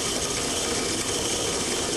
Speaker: as we increase the pressure drop to approximately 75 to 80 psid a moderate level of cavitation exists notice the frothy occurrence of the water just downstream of the valve the sound pressure level under these conditions is approximately 100 vba